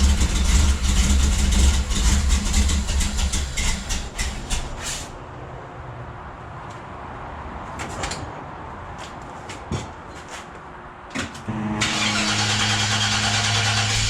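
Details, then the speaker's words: 1973 Chevrolet Nova V8 restarted after a TH400 transmission swap, fluid and torque converter filled: fires up and settles into a steady, smooth low rumble at idle with no knocks or squeals; normal idle. "Hear that? Just purrs."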